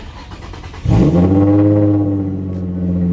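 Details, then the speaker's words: 2005 Infiniti G35 coupe at over 190k miles, after all six spark plugs and ignition coils replaced to cure sputtering and slow acceleration: brief crank, then clean catch and steady even idle, no misfire; sounds meaner and healthy. "Sounds more mean."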